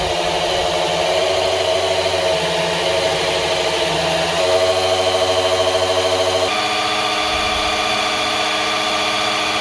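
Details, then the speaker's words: 1971 HQ Holden Monaro engine before its first start, oil pump primed with a drill: a steady whir that shifts pitch as the load changes. Oil reaches one side at 60 psi, which is good. "So that's the oil up on one side and we get 60 psi, so that's all good."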